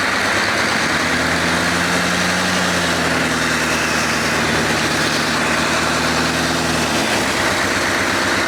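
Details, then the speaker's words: 6.5 Chevy turbo diesel in a GQ Patrol, runs after rebuild before dyno, after revving: steady deep diesel clatter settling evenly at idle, no stumbles or knocks, sounds better than last time, no smoke rings; normal idle. "Holy shit, that sounds better than last time. Yeah. Hey, no smoke rings."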